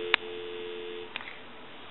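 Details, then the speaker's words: Takara French-style rotary desk telephone, after removing the faulty T1 transmitter that caused crackle: a clean, steady dial tone with no crackle or hiss, cut short after about a second by a click; the line sounds quiet and healthy. "we want to go ahead and plug the unit in give you some dial tone and as you can see it's nice and quiet"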